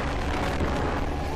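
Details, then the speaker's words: Vespa Spartan P200XE (1985), fully stock largest Dan Motors Vespa engine, ridden uphill on Jalan Dago, Bandung, 4th gear, partial throttle: deep steady two-stroke drone with wind rush, pulling evenly without misses; healthy, though some excess vibration. "Nah, kayak sekarang ini kita coba di Jalan Dago, kita tarik. Ini gigi 4 ya, masih lumayan lah."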